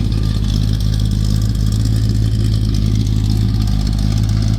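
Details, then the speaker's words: Square-body Chevy 4-speed 4WD, freshly rebuilt engine (new cam, lifters, valve job, bearings, rings, gaskets), good oil pressure, no leaks, belt squeak noted: deep steady exhaust rumble with slight cam lope, no knocks or ticks; normal running. "Guess what it is? Runs good. Good oil pressure. Don't seem to leak nothing now."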